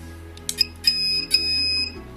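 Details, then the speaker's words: KK2.0 multirotor flight controller modded with a bright LED in front of the FPV camera lens as a simple battery OSD. Thin high electronic beeps, two short chirps then two longer tones, from the board's buzzer as the LED flashes. "there you go as you'll hear the beeping as well it now flashes so when my battery alarm goes off it's going to start flashing rapidly in front of my lens"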